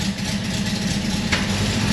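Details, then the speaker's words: Porsche 912 flat-four, dead cold start, microphone held out: light quick tick over steady idle; exhaust leak before the muffler, suspected improperly fitted muffler gasket. "If you listen really closely and you have that that train 912 ear, you can hear there's exhaust coming out the tailpipe tip, but there's also an exhaust leak coming out of the exhaust before the muffler. And it's almost like a little tick."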